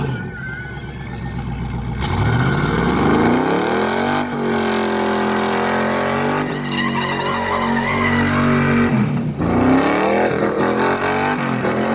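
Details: Car during a burnout: revs climb, then sag and stumble twice with rough, uneven firing. Engine laying over hard and bogging under load.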